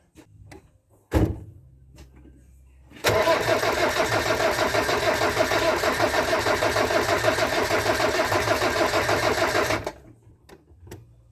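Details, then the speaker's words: Land Rover Discovery 300Tdi diesel after donor engine swap with mechanical injection pump, timing belt, alternator and turbo replaced, first start: brief cranking then steady even clatter for about seven seconds, oil pressure light out; healthy start and idle. "oh pressure light's gone out amazing good that sounds mint as well"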